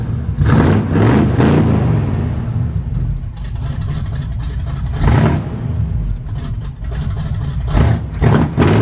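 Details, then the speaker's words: Quick listen test of a V8 truck with race bullet mufflers; deep loud burble with sharp throttle blips rising and dropping cleanly back to idle; normal idle and revs, healthy engine. "That does sound pretty dang cool."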